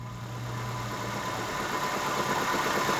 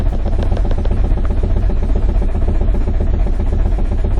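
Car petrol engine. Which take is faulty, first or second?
first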